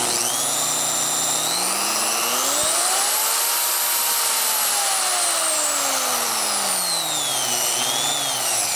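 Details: Harbor Freight Chicago Electric 7-inch 10-amp digital variable-speed polisher/sander #62297, 1000–3500 rpm: clean motor whine climbing, holding, dropping and rising with speed changes; no grinding, motor runs fine.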